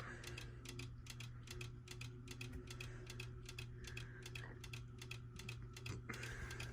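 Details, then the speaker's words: Westinghouse Origami ceiling fan running: sharp clicks at two or three per second over a soft motor hum, worse when the pull chain is held down, caused by loose wires hitting the motor; repositioning the wires fixed it. "really annoying clicking sound when i hold down on the pull chain it makes it worse oh i see what it is the wires are hitting the motor"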